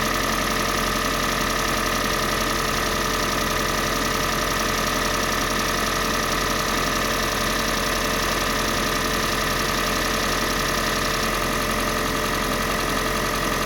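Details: Kia Sportage 3, G4NA engine on Total 5W30 oil: steady idle with fast, slightly uneven tapping knock over the engine note; engine knock, source not pinned down yet.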